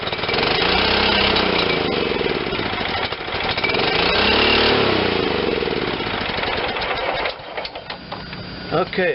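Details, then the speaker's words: John Deere LT160 automatic lawn tractor, Kohler Command 16 hp: loud, steady high-pitched roar held flat out without settling to idle; sticky governor rod jammed the carburetor at full throttle. "but i think the uh carburetor lever might be stuck on full bore so let me see what's going on with that got you zoomed up on the carburetor there that governor rod was stuck on a full full bore full on"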